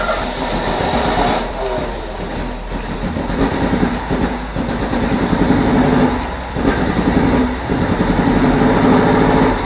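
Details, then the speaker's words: 1978 MGB after wire harness replacement cranks with ragged sputters and pops but won't start; suspected spark plug wires swapped, possibly cylinders three and four in wrong firing order. "are all backwards cranks but it sits there and sputters and it pops it sounds like we got plug wires that's all backwards"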